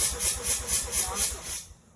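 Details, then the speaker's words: Mazda RX-7 FD rotary, cranking with a spark plug pulled and held to ground to check spark: starter turns it in an even pulse about four a second but it never fires and spins down; cranks without spark. "doesn't look like we're getting sparked yet okay if I can figure out why it's not getting smart we can get a truck"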